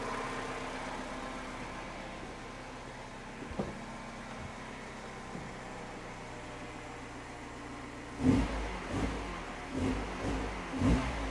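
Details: Mini Cooper R56, cold engine after replacing the faulty coolant temperature sensor: quiet steady idle, then crisp throttle blips rising and falling cleanly with no stumble or popping; cold misfire fixed, temperature climbing normally.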